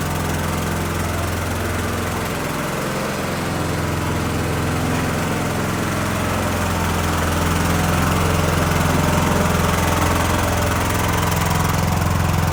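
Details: Cub Cadet LTX1040 lawn tractor, Kohler Courage single-cylinder, after engine fire repair: coil, fan, air filter and housing replaced, carb cleaned, valve cover gasket replaced (likely oil leak onto muffler). Strong, regular thump holding steady, rising slightly under load: normal running.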